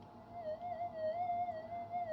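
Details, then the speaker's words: Minelab GPX 5000 metal detector with new components and a cancel coil, gain set flat out far above standard: warbling, wavering squawk of interference that keeps going without letting up. "It's squawking away quite merrily, but the thing is, it is on full gain. This is flat out full gain."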